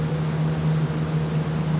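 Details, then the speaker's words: Mitsubishi Evo 8 first start in five years, fresh engine: steady low drone with strong hum and faint fast ticking patter, sounds weird; oil pressure reading 100 PSI, smelling, leaking oil underneath; cause unclear. "Why does it sound so weird? It's got lifters and shit."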